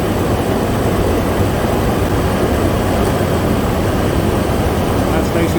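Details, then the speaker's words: Toyota Tacoma 4.0L at idle after replacing a worn serpentine belt tensioner, which previously rattled only when the AC compressor cycled on at low RPM: AC compressor loading the belt with no rattle or chatter. The belt drive now sounds normal. "no more rattling no more shattering watch where the AC compressor kick back in again because that's when it would start chattering but when the AC compressor loaded the belt"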